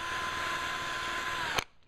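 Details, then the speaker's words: Team Losi Aftershock nitro RC engine gummed up by stored fuel: fast high whirring spin that stops abruptly with no firing or compression; the starter one-way bearing slips because the gummy engine won't turn over. "the one-way bearing problem was because of a gummy engine and you can you can hear it turn over like that but when you turn it over fast this is what happens"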